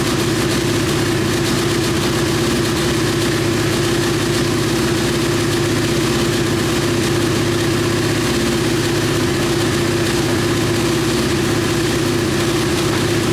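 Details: KTM Duke 125 idling during ECU diagnostic test: steady even idle with constant hum, no misfire or rattle; no fault codes found; normal idle.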